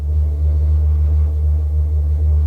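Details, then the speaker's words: Camping-car gas heater on first start, exhaust unconnected and gas smell present: deep steady low hum with a gentle rhythmic throb and no sputtering; burner has lit and runs evenly. "je pense qu'elle démarre l'échappement là il est libre donc je vais devoir la couper rapidement pour le moment ça sent le gaz je pense que c'est bon signe"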